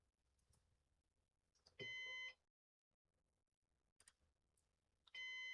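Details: Used Synology DS418 NAS during setup: half-second high-pitched beep repeating roughly every three seconds in a quiet room, like a heart monitor; signalling a failed fan.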